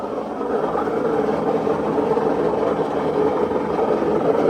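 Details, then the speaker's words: Maytag front-load washer, customer complaint of loud noise, in diagnostic spin mode: steady whirring roar building as the drum spins up, no knocks; drum bearing confirmed shot, play felt at the drum. "that's that's hundred percent the bearing the bearing is shot on it"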